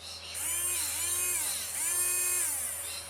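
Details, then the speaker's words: FF-130SH-2657 / SFF-130SHV-2657-R motor rated about 20,000 RPM for a Polaroid SX-70, run directly from a four-AA (about 6 V) battery box; a high thin whine climbs and dips as it spins up and settles, smooth and much faster than the quieter motor, normal. "way faster so if you really want the fastest possible ejection on an sx70"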